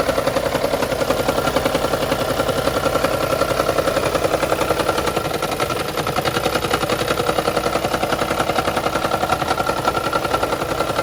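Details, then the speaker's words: 2013 Lexus CT200h hybrid with check engine light, petrol engine at cold morning start: steady fast dry rattle for a while before returning to silent hybrid running; diagnosed as misfire needing tune-up, fixed by replacing worn spark plugs. "and of course once the once i started and then it you know it makes the noise for however long it takes and then it went back to running as a hybrid with no noise"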